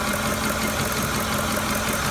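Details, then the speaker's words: 2008 Ford F-150 5.4L 3-valve at idle with a rough, shaking idle and off-beat stumble. Unplugging cylinder four's coil changes nothing, so that cylinder is a dead misfire. VCT solenoids, plugs and coils were already replaced. "dead misfire even at idle especially at idle you want to go ahead start the vehicle off okay you make sure that's a rough idle deadness obvious right"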